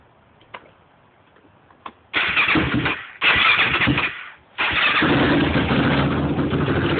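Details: Yamaha YFZ450 first start after top-end rebuild: a few faint clicks, fires, two rev blips, then settles into a steady even single-cylinder idle; starts and runs normally.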